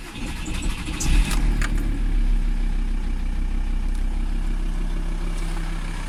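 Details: VW T4 TDI 150 diesel at idle: a loose, uneven knock about three times a second over the diesel clatter; engine knocking, cause not yet determined.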